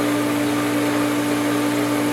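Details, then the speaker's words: Pool pump running after pool opening: steady motor hum under a constant rushing "shh" hiss that the owner attributes to bad pump bearings; still operational, cause suspected, not confirmed. "I can hear the bad bearings in the pump. It's kind of a shh kind of sound. I don't know how else to explain it."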